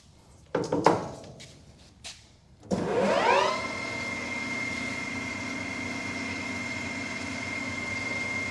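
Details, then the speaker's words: New Precision Matthews PM 1660-TL lathe on its first run and break-in, spindle at 1200 rpm in the high gears: after a few knocks it spins up to a smooth, even whir with a steady high tone, quieter than expected. Normal high-speed running. "very nice nice and smooth it's not it's it's a lot quieter than i expected it to be in these high gears right there it really is"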